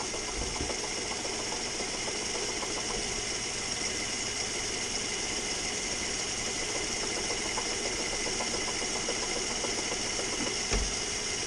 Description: knocking noise, coming from the engine bay. mazda 3 2011 2.0l. turns out its coming from the air conditioning compressor.